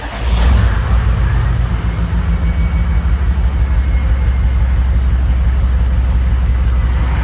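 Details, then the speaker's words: 1995 GMC 3500 HD 6.5L turbo diesel, hot start after sitting about 15 minutes following a test drive, with the replaced injection pump timed: catches almost immediately, settles into an even, steady idle. Normal hot start, smooth and quick. "and smooth quick to start uh just like we wanted"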